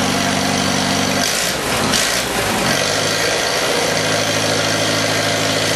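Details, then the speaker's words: 1948 Farmall F Cub, 6-volt system on a 12-volt battery, cold start at about 30°F: the old engine catches after a short crank and settles into an even, steady idle with no misses; normal cold start and idle. "really sounds good. Yeah, I like that full bowl. Boy, doesn't that start good, huh?"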